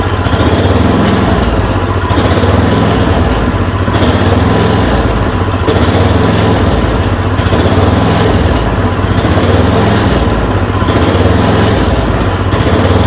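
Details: Yard Machine 826 snowblower (8 hp, 26 in cut), just fitted with a dual belt: a loud, steady single-cylinder drone with a slight slow rise and fall every couple of seconds after the idle screw was adjusted. It runs normally.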